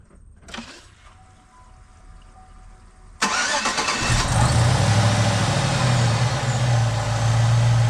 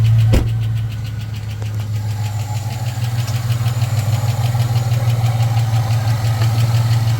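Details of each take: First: Supercharged (Edelbrock E-Force) 2008 Chevy Tahoe LS V8 after lifter replacement: brief crank, then a steady, even, smooth idle with no ticking or knocking, no smells, no codes; normal idle. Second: Supercharged (Edelbrock E-Force) LS-based 2008 Chevy Tahoe, noise began while driving: deep droning idle with a light, fairly regular tick about three times a second on top, a failed lifter; lifters replaced.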